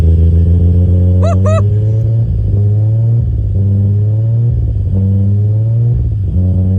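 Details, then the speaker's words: Toyota Supra 1JZ-GTE straight-six, first start on new standalone ECU with tune loaded: steady even low idle with smooth deep drone, no misses or knocks; idling normally before later dying. "okay so I got it taped off it's idling good"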